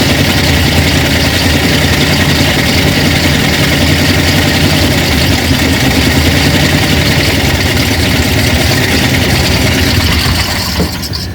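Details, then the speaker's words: 1950 Ford F5 truck, flathead V8, sat over 20 years, first start: loud even rumble steady for ten seconds, no misses, knocks or rattles; idles smoothly, oil pressure unknown. "I don't know if we got any oil pressure, but it sounds good."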